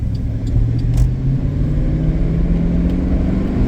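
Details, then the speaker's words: 2011 Cadillac Escalade EXT 6.2 LS V8, previously sluggish on take-off, after cleaning the throttle body: pulls up smoothly under throttle with a steady rising drone, no stumble or hesitation; take-off now much better. "oh yeah she is way better I mean she wasn't like like um that horrible per se before but like it's like she ready to go"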